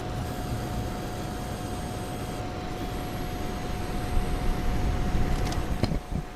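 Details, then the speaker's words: Coil whine from an AMD Vega Frontier Edition graphics card while loading Sniper Elite's opening scenes, PC right behind the mic: a steady mid-pitched whine and faint high tones over low fan rumble, unlike any fan sound. "So that was just loading Sniper Elite in a few, just the opening scenes, but you could hear it like an audible, like a different sound than any sort of fans or anything that my computer ever made. So definitely some coil whine with this, and that was a problem with the Fury X as well, from what I remember."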